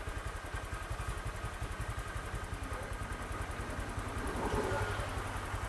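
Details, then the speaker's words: Honda Vario 125 injected scooter after adjusting loose valves with a feeler gauge and setting idle, throttle cable refitted: even, steady low thrum of the single idling, no valve tapping; the earlier rough sound is gone. "ya kita pasang kabel gas hilang ya suara kasar emang ya hilang setelah disetel"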